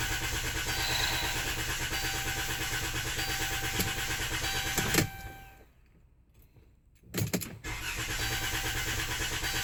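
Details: Chrysler Town & Country van hard to start after the dealer worked on something else: steady churning crank for several seconds, a short pause, then more cranking that never settles into a clean idle; extended cranking, cause unknown.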